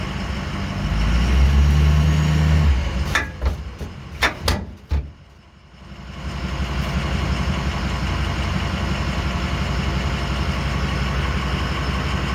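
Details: One-year-old Demco Recon fifth wheel hitch on gooseball mount in a 2006 Ford F350 6.0 diesel: rumble with sharp loud pops when driving, taking off, braking and turning; mounting plate not moving on bed; hitch play suspected.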